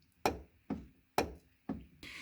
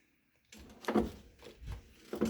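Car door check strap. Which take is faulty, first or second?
first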